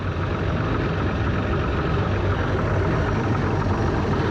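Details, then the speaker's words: 1973 Cobalt boat with Mercruiser 165hp sterndrive, underway after sound deadening was added: steady, even low drone with no misses, knocks or rattles over the water rush; running beautifully with no work needed since last time. "Well, there she is, just running beautifully. Haven't had to do anything to it since last video."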